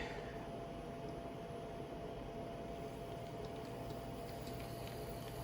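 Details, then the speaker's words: Intermountain N-scale SD40-2 locomotive (bought used, known noisy when moving, sketchy lighting) on test: faint smooth steady motor hum with no clicks or rattles, a very quiet mechanism; flickering headlight is an electrical issue, not causing the noise. "Sketchy headlight, like was prescribed, but more importantly, a very quiet mechanism."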